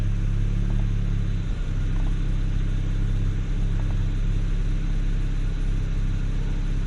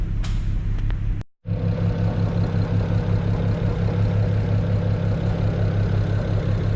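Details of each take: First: BMW 335i E92 N54 petrol engine at idle after a misfire repair: steady, even low hum with no stumbling; misfire gone and codes cleared, rpm reasonably stable with only an occasional pop, spark plugs to be rechecked. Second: BMW E92 335i with N54 petrol six at rough idle: uneven, stumbling pulse, also felt on top of the engine, from a cylinder misfire attributed to a failing ignition coil.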